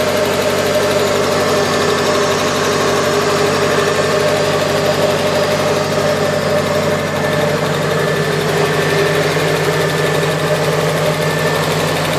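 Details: Nissan S14 KA24DE petrol four-cylinder idling with a fast, light ticking that began after a head gasket replacement; owner suspects lifter tick or something more serious.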